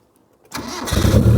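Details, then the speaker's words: 1993 Proton Saga Iswara, rescued from a farm barn, first start: quick crank, then fires into a loud, raw, tractor-like bark because there is no exhaust fitted; ticks over nicely without surging; missing exhaust. "it sounds like a tractor why does it sound like a tractor oh there's no exhaust on it but it starts but it sounds very agricultural"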